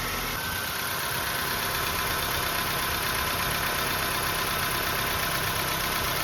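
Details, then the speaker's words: 2005 Nissan Pulsar N16, about 220,000 km and nearly 20 years old, idling right after replacing the original ignition coils with aftermarket ones to cure misfires: steady, even idle with only a faint ticking, running better than before. "It's very dim ticking sound. Well, it's not a huge difference, but it's still better than before."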